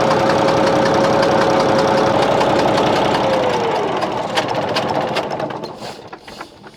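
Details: Bizon A-01 diesel idling: steady, even chuff-knock about four per second, then odd noise while winding down on shutdown; reacts to loosening the No. 3 high-pressure line, owner suspects head or third injector, unconfirmed.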